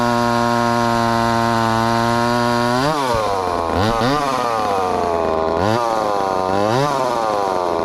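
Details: Ported 2375 chainsaw on methanol after carb mods and ignition timing changes, cutting dense wood: screams high, then bogs and chugs each time the bar buries. Owner judges it slightly lean but not dangerously lean.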